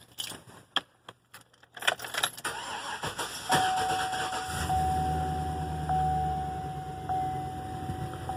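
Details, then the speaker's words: 2011 Chevrolet 2500 HD 6.0 gasoline V8, sat two or three months, supposed lifter tap: keys jingle, starter cranks, engine stumbles to life and settles into a slightly uneven idle, a rough start after storage. "that was a little bit of a weird start but it's been in this condition for I'd say for two or three months I've had it sitting so I'll crank it again"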